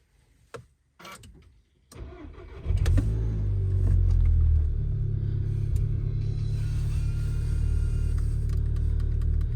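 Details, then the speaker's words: VW Golf 6 GTI start right after replacing the N80 canister regulation valve: cranks, catches promptly and settles into a steady even idle; no engine warning light, so the repair succeeded. "Pas de voyant moteur, c'est que l'opération s'est bien déroulée."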